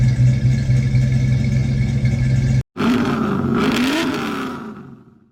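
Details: 1966 Ford Mustang GT coupe, revived after 15 years stored in a Texas garage: engine catches and settles into a deep steady rumble with a brief blip before fading; healthy start and run.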